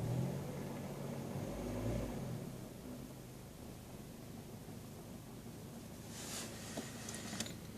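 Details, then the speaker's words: Lada Priora 126 engine, warmed up, 50,000 km, 20,000 km after piston-knock repair: quiet, even idle with no knocking; runs smoothly, night and day compared with before repair. "Ну вот, в принципе, небо и земля. По сравнению с тем, что было, работает замечательно."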